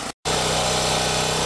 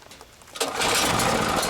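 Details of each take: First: Champion generator, after no-start fixed by checking fuel lines and refitting a carburetor part: even, constant-pitch drone under load, no hunting or surging; owner suspects fuel distribution issue or bad fuel. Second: Champion generator, run 3–6 hours daily, stored a year, no-start fixed with simple checks: catches and runs busy, slightly uneven and ragged, then starts surging. Engine surging; owner suspects a remaining carburetor fuel issue.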